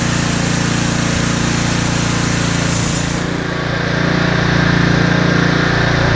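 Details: Husqvarna ST330T/ST332 snowblower that wouldn't start, oil black and smelling of gasoline: small single runs steady and even at constant speed with a clean, regular beat, no misses or knocks; healthy.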